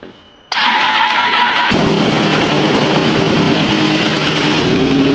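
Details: 2021 Yamaha R1 CP4 after an engine overhaul for a spun cylinder 1 rod bearing (new crankshaft, bearings and NGK plugs): quick crank, clean catch, then a steady, even idle with no knocks or ticks.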